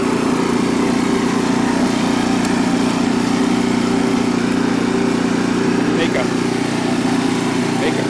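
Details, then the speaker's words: Renovated Troy-Bilt Horse tiller in low gear, tines set deep in rocky soil: steady even engine drone holding speed under tilling load, working pretty good; a brief belt squeal on a rock hit suggests the belt could be tightened slightly. "coming back see that works uh working pretty good"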